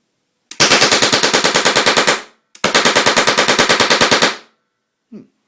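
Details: UK-spec deactivated M26 Chatellerault light machine gun converted to an LPG gunfire simulator, propane and oxygen each at about 5 psi: two even bursts of sharp cracks, roughly ten a second, with a muzzle flash; normal firing.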